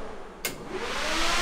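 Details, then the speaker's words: 2000hp Cummins drag truck after rewiring, switched on from the switch panel: a click, then the fan spins up with a rushing whoosh that settles into a steady strong roar, moving a ton of air; the cooling fan is working normally. "our last bow I think is blowing some air this is definitely a good get that thing that thing is moving a ton of air"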